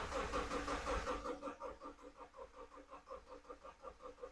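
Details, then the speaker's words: Subaru Outback with replacement engine after rod knock, first crank with fuel pump fuse pulled and jump pack to build oil pressure: even starter cranking, nearly three beats a second, no knocks; sounds correctly timed. "well it sounds good cranking over which is very good that means it is probably timed correctly nothing crazy going on"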